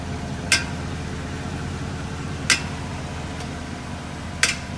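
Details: Porsche Cayenne, brake noise part 2: sharp metallic clicks about every two seconds over a quiet hum as the pedal is pressed while stationary; brakes clunk under pedal pressure, possibly at the brake hoses, cause unconfirmed.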